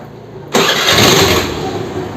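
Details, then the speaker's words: Honda Activa scooter self-starter after clutch-cover work: brief starter whirr, then engine fires at once and runs evenly without grinding; starter noise reduced about 60–70% to normal level, normal start. "நார்மலாக ஒரு ஆக்டிவாக start ஆகிற sound தான் இது."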